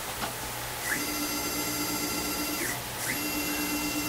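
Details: Taig mill stepper motor driving the axis after reassembly, leveling and oiling: a clean stepped whine that climbs, holds, then drops as the axis speeds up, moves and stops. Normal, smooth stepper operation.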